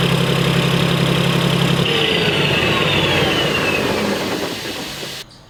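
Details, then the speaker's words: 1991 Freightliner FLD120 with Detroit Series 60 diesel, started after months sitting with only fresh batteries: heavy idle with lumpy, uneven beat near four pulses a second, never smoothing; known bad injector, so run kept short. "i know it was kind of a short start but there's a bad injector so we couldn't really you know keep it going much longer"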